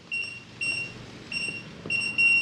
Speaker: long beep, flashes green, flashes red, and it beeps at you like multiple times. It didn't take the code.